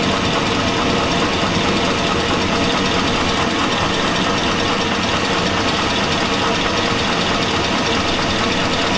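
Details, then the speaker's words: 2002 Chevy Avalanche 5.3L V8. The engine runs with a metallic knock rising above the running noise. The owner says it sounds like rod knock from a worn connecting rod bearing. "it sounds like rock to me guys she's got that blanket clanking metal Clank nose cat screwdriver"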